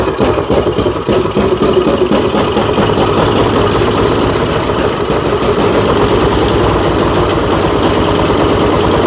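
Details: Troy-Bilt Storm 2410 snowblower found scrapped, carburetor rebuilt and crankcase refilled with oil: loud uneven firing that stumbles and surges at fast idle, spitting oil and smoking. Owner suspects fuel in the crankcase washed the rings.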